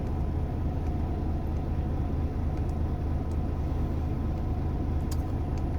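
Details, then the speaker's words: Volvo FM13 Smart Eco 400 hp truck diesel with idle set very low (below normal ~600 rpm): deep, steady, even rumble, no knocks or misses; charging 28.8–29 V, oil pressure unaffected; healthy low idle. "ฟังเสียงนะครับฟังเสียงเสียงรอบต่ำมากก็ถือว่าโอเคครับผมรอบรอบเครื่องยนต์มาแบบต่ำมากนะ"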